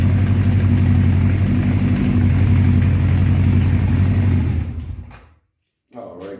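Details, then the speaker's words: 1984 Honda CB700SC Nighthawk after carb cleaning, cold after sitting at 30 degrees: low uneven lumpy idle that sags and dies after about five seconds; idle too low, possibly set in summer; stalling. "guys um I definitely got to turn that idle up because uh it seems like it's too low or it might have been adjusted when it was hot out like during the summer"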